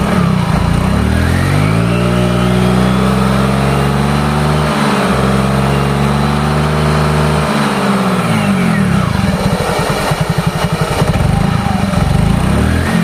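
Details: Yamaha Mio GT scooter, brought in for heavy pull and very rough engine noise, after repair and ISC/idle reset: revs climb and fall smoothly with a clean exhaust note, no knocks or rattles; engine now normal.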